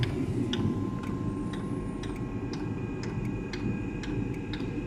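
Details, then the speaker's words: Eberspacher Espar D2 diesel heater during service (blower and case were touching): blower spins up with a steady low rumble and an even fuel-pump tick about twice a second as the heater starts. Normal start-up. "yeah i can hear it spinning up the pump is not clicking ok now okay so the heater is starting"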